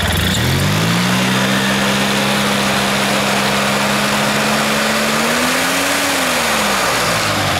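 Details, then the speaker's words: CVT primary and secondary clutch checked after work on the machine; engine note climbs and holds a steady drone, then swells and settles as the belt engages smoothly, no slipping or chatter; the clutch spins at idle so the belt won't burn. "this thing i guess will always spin here because it's getting a little bit uh probably better that it does actually or it'll sit there and i'll burn the belt on that part right so it'll just kind of go up to speed"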